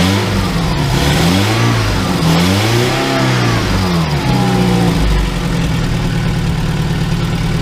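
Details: 2002 VW Gol after starter motor rebuild and injection harness connector repair: engine catches, revs rise and fall a few times, then settles into a steady, even idle with no misses, healthy on all cylinders.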